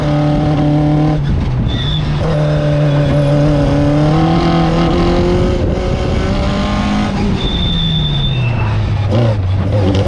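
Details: Fisher Spyder with Arden 8-port alloy head after repair: block and head TIG welded and scraped flat, new MLS gasket replacing failed composite; crisp, even pull climbing through revs and easing off, no misfire or knock; ran perfectly at Forrestburn Hillclimb.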